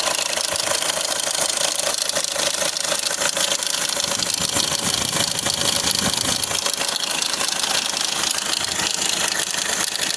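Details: 2010–2016 Hyundai Accent CRDi diesel sedan at steady idle: fast, fairly even metallic rattle about three per second; a loose timing chain is suspected, a common problem on this engine.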